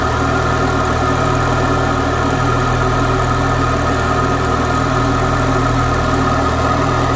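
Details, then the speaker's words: Citroen DS3 just after fitting an upgraded performance induction filter, first cold start: smooth steady idle at slightly raised speed, even with no lumpiness or misses; normal cold start idle. "though it is a cold start see what calms down okay it's calmed down oh it's not running Lumpy and that sounded good"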